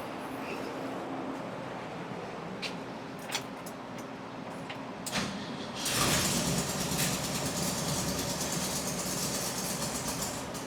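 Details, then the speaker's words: 1971/1972 VW bus air-cooled four, started on high choke: a few clicks, then it catches and runs with a lumpy, uneven beat instead of a smooth idle; rough running from incorrect ignition timing. "Well, that's what it was doing. Timing issue. Choke is open already."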